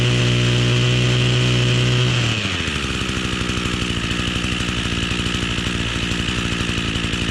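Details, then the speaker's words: Echo string trimmer two-stroke, cold start with choke after fuel line repair and priming: steady high choke-on note drops into an even, fast burble holding a consistent beat; normal running. "go ahead and get it on the ground and see if we can get a good startup we've already primed it so to be a cold start we'll give it some choke turn it on"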